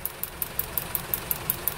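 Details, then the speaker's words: Four-cylinder car running on LPG with STAG WC-03 gas injectors: sharp, even ticking about five or six a second over a rough idle; worn injectors clicking too loudly, owner suspects the third or fourth; runs fine on petrol; replaced with a new set. "No jest jest jest słychać jak cyka one zawsze cykają wtryski od gazu ale nigdy za głośno nie cykał A to silnik"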